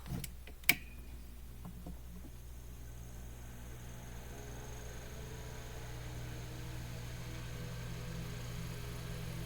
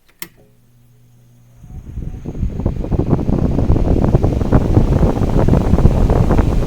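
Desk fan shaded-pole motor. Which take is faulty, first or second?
first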